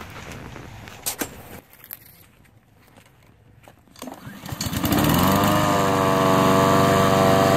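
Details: Honda HRN 216 lawnmower after cleaning the carburetor's pilot jet to cure rough idle and surging: after a few clicks the engine starts, revs up and holds a smooth, even note without hunting, normal steady running.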